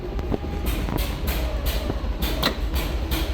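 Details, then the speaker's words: Isetta being restored, first start after replacing the Dynastart, fan still off, fuel dripping from the overflow after overfilling: uneven low chugging pulses, about three a second, as the single cylinder struggles to catch, flooded. "on, baby. We've got a bit of flooding."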